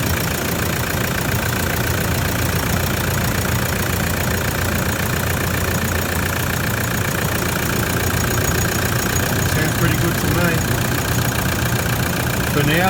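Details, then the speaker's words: 2009 Toyota Land Cruiser Prado 120, 1KD-FTV diesel, 270,000 km, first start after new injectors and coding: steady diesel clatter at idle with an even rhythm and no obvious misfire. Outcome not yet confirmed. "we're about to start it up and i expect it to be a bit of a coffin splatter to get it going after the cleanup"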